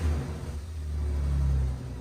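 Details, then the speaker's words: Ratty Porsche Boxster, overfilled with oil about three quarts, started after fuse refitted: low, lumpy idle that surges and sags unevenly, running rough; drain pipes basically straight to the engine, cause unconfirmed. "I'd say that works maybe I mean it's running sounds like ass but it is running so if you're wondering why it doesn't sound great that's because um these drain pipes here are basically straight to the engine"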